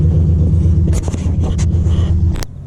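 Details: 1996 Impala SS with LS1 swap, after battery disconnect for IAC relearn: low lumpy idle wavering unevenly for two seconds, then engine cuts out; unstable idle; relearn failed.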